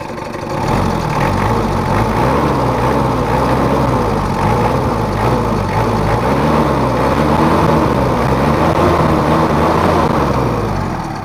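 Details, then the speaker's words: Mitsubishi Kuda diesel after an engine rebuild and injection pump adjustment: even, steady idle clatter with a smooth low rumble and no knocks or hunting; residual roughness traced to a missing ring in the lower injection pump, now normal. "jadi meskipun dihaluskan nggak bisa halus dan ini udah normal untuk setelannya tinggal di tes aja"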